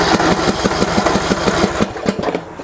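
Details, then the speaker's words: Yard Works (MTD) lawn tractor, dirty Briggs & Stratton single-cylinder engine, cranked on choke: starter chugs about six even beats a second, never fires and winds down; no fuel reaching the carburetor. "So, what I'm going to try to do here is start this up just to show you that it will not fire up at all."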